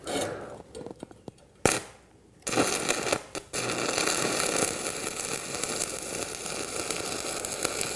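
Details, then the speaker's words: Arccaptain 200A AC/DC TIG welder stick welding 3/32 7018 rod at the same setting as 1/8 inch 6010, on a poorly fitted cable plow part; after false starts, steady even crackle and frying hiss, runs well. "Okay, that's running that pretty good. This is about, about what I would have expected."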